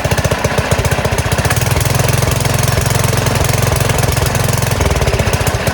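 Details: Small single-cylinder gas engine on a go-kart converted from electric, with a new carburetor, first start in a while on choke at idle throttle: fires right up into a quick, fairly even patter, no missing or flooding. It is running normally.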